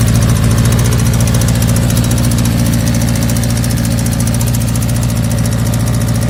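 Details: 1984 Kawasaki GPZ air-cooled sport bike, running after newer battery, fuel line and carburetor work: lumpy uneven idle, three to four pulses a second that never settle; rough idle, cause unclear.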